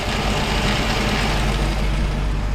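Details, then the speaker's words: Mercedes SLK 55 AMG (R171) M113 engine idling, overdue for service; busy, loose metallic rattle over a steady low rumble from a drive pulley split down the middle into two parts, held together by the serpentine belt. "rattles like crazy and I'll I'll turn the engine off you see the actual damage it's kind of it's split down the middle so it's in kind of two parts"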